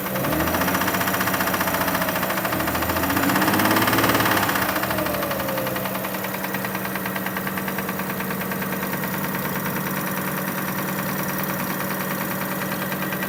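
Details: 2005 Kia Sorento idling with a fairly regular knock, close to four per second, over the engine hum; engine knock at idle, source not yet diagnosed.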